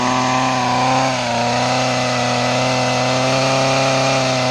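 Steady, even idle with a smooth buzzing note that holds constant, only a brief dip; small engine running cleanly.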